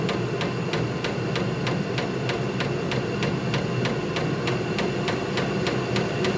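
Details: Vevor 8 kW diesel heater in an uninsulated 142 m³ barn, turned up to setting four of six: sharp, even dosing-pump ticks about three a second over a steady fan roar; normal fuel pump ticking, heater running fine.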